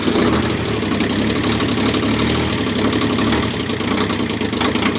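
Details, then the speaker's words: Kubota B7100 diesel tractor on a new cheap group 51R battery, no trickle charger, freezing morning: settles into a steady, even idle after starting, no stumble or knock; normal cold idle. "We'll come out each morning, fire it up without ever using a trickle charger or anything. See if the battery holds up see how it holds up after that first week below freezing."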